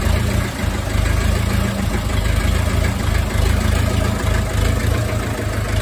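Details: Ferguson TEF20 diesel tractor, sat over 10 years, restarted after a year of no-start by bleeding air from the fuel system: low, steady diesel chug at idle, even beat, no misfires or knocks; running cleanly.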